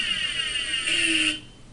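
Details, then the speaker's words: Shrill, wavering high-pitched electronic whine, the warbling "ray gun" cry of a failing hard drive: a hard-drive failure sound meaning data should be backed up now. "that's an actual sound of a hard drive that that's an actual sound can you believe it sounds like an it's very shrill"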